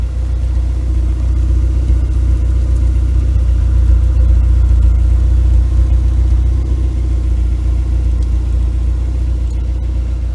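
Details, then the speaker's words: 1995 Vauxhall Cavalier MK3 X20XEV, warm not cold start: steady, even low rumble at idle with no knocks, misses or hunting; normal idle. "there you go starts up fine um as i say it's been running pretty well"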